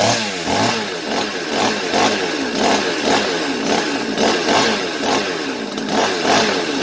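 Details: 5200-class chainsaw that would not start, after clearing a restrictor and adjusting the carburetor high-speed screw: crisp rhythmic rev surges about two a second, rising and falling cleanly without bogging; now running properly.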